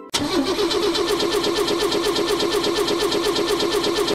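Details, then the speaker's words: Car cranking steadily at about four to five even compressions a second for four seconds; the starter turns the engine longer than normal but it never catches or fires. Immobilizer is one suspected cause, not confirmed. Crank, no start. "what does that sound mean that means the starter is turning the engine more than normal but the engine doesn't start"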